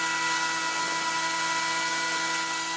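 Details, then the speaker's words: Several 20mm case fans in a Dell GX620 pushing little air; steady high-pitched tones over a hard airy rush like a jet, spinning fine but very loud, owner may remove them. "It's pushing out some air. Being that they're only 20mm, they're not pushing out a lot. It's basically a lot of noisemakers."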